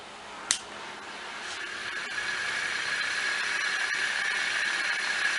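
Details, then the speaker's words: Ceiling fan after repairing a broken bearing, test-run on temporary wiring: one light click, then a steady even whir with a faint high hum and no scraping. The fan runs normally. "nós vamos ter mais aqui barulho raspada e é só o barulho do ventilador mesmo"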